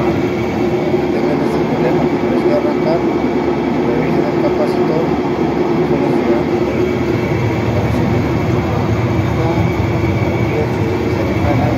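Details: Olimpia washing machine that would not start, running after a new run capacitor was installed: a steady, even, mid-pitched motor hum with no knocking or stalling for twelve seconds; the motor runs normally.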